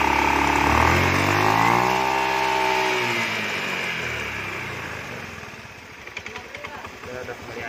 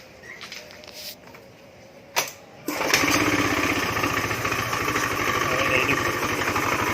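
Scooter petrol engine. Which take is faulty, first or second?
second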